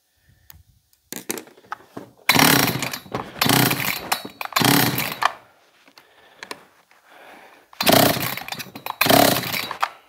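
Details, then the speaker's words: John Deere CS56 chainsaw (Oleomac 956/FCO 156 type), choke engaged, primed; 135 psi compression. Fires and revs in short crisp bursts with quick pickup between pauses; two-stroke running healthy. "Well, we know it'll run, but she pulled over real easy."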